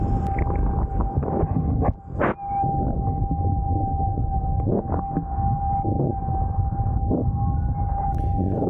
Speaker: am sure that you can hear this whistling winding noise now you might even get a brand new board and once you start writing your board in this fastest speed you hear the noise